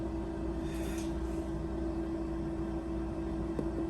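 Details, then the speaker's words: Shaker incubator at 200 RPM, 37 °C, shaking a taped 400 mL bottle of LB Miller broth with XL1-Blue culture; even mid-pitched hum holding steady, no rattles or knocks; liquid swirling to aerate, normal running. "There it is shaking. You can actually see the liquid swirling around quite a bit inside the bottle. That will keep it aerated."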